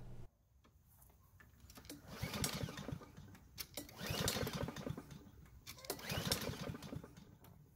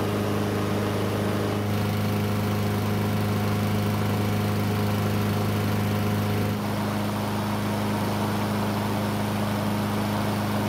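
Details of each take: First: Curbside Blackmax mower, choked, fresh air filter: three recoil pulls turn the engine over in rasping bursts but it never fires; cranks but won't start. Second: Free curbside Blackmax mower that would not start, now running after a bad spark plug was swapped for a used factory plug: steady, even drone with constant pitch and no misses or stumbles, running cleanly.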